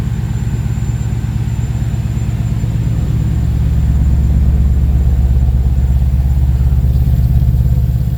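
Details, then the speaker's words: Ford Capri with Mercedes M113 5.0L V8 on MaxxECU: after raising idle timing to near 20 degrees and slightly leaning fuel, deep even burble with steady beat and no pops or stumbles, replacing earlier misfire pops through exhaust; settled, healthy idle. "Do that and then slightly lower the fuel and she sits much happier, much more stable. Before that she was sort of like little misfire pops through the exhaust. She's sweet there."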